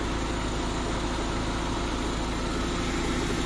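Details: Honda Civic LXi manual, complaint of idle dropping and stalling despite a replaced idle valve, after reducing distributor advance, warm: even, steady idle with a low rumble, no stumbling or dropouts; idle holds fine.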